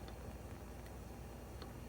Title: Gas Stove Clicking Noises